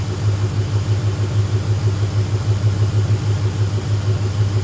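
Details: Car just restarted after fitting an idle air control valve with a hand-cut gasket: low lumpy idle, uneven pulse about three times a second over a steady drone. Runs rough; owner reports too lean, cause suspected, not confirmed.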